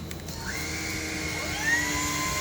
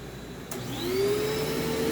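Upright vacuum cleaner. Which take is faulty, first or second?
second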